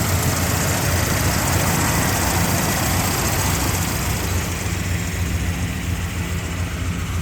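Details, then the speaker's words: 1979 Jeep Cherokee Chief after frame-off restoration with a rebuilt AMC 360 V8 and Holley 2300 EFI: starts right up into a strong, even low idle rumble with no stumble, tick or knock; normal idle. "Starts right up. Let you hear the engine. Runs very smooth. Runs good. It's strong."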